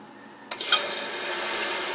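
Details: Mansfield toilet tank refilling by itself about every 45 minutes and draining empty overnight with supply off: sudden hiss of water rushing in after quiet; phantom refill caused by a damaged orange flush valve seal gasket, to be replaced.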